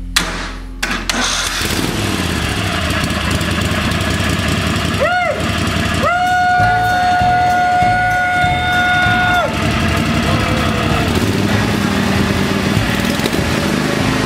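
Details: Kohler Command V-twin mower engine after swapping in a used camshaft to fix a faulty compression release: cranks, fires and runs steady and even without knocking; occasional hard spot while cranking; healthy.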